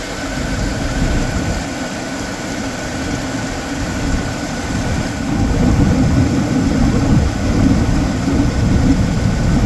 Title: 1998 Chevy C1500 V8 5.0 slight engine knock at idle.